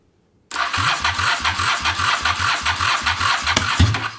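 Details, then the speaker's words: Engine, carb cleaner sprayed in, probably gummed up: starter churns in even beats, about four a second, for several seconds without a single firing stroke; cranks but won't start. "Just Just give me a little bit of fire. Oops. Nothing."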